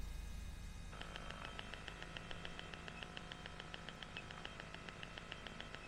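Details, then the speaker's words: iEFIS audio alerts in an ICP Savannah S kitplane, heard through headset with battery, EFIS and radio on: repeated short alert tones harsh, buzzy and gritty; distortion from excessive EFIS audio output voltage overdriving the input, manufacturer to be consulted on adapting it. "Como hemos podido escuchar, el audio sale, se oye, pero es aún peor la distorsión que tiene por el tema del nivel de tensión que sale por la salida del EFIS."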